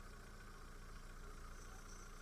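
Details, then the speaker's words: 2010 Skoda Octavia A5 1.6 MPI with factory LPG, 229,000 km: smooth, even low idle hum with no misses, knocks or hunting. The engine runs quietly on both gas and petrol, with no smoke and no crankcase breather blow-by; normal idle. "Мотор працює тихо, рівно, не димить, не троїть, не сапунить, що на газу, що на бензині."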